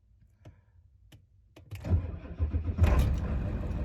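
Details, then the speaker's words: 1995 Ford F-350 7.3L diesel after glow-plug relay replacement, about 39°F: start after the wait light goes out, with a few clicks and a short crank, then it catches at once into a steady low clatter; voltmeter needle drops, then recovers; normal cold start after repair. "I'll wait for the light to go out there it goes"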